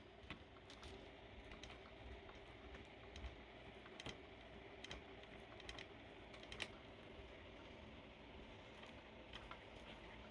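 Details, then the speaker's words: Motorized bicycle stock kit chain turned slowly by hand, engine off, giving sharp uneven clicks: about six marked bad links touch the pinion gear, causing noise and wobble. "6 of them, they not good, touching the pinion gear and makes the sounds and make this chain wobbling so crazy."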